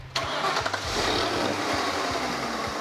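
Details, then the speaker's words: Van engine started to verify a repair: cranks, catches, settles to idle with a steady raspy whir from the belt end; idler pulley noise, previously masked by the fan, pulley still to be replaced. "the fan was hiding the noise for the pulley that's just great"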